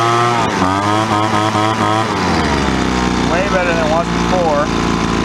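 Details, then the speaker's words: Poulan Pro 25cc 210 mph gas leaf blower after a carburetor replacement. Two-stroke idles, then revs up quickly and smoothly and drops back evenly; runs well after about 10 seconds of warm-up, in snowy weather. "It's just sort of purring right now, and it revs up real quick, very responsive."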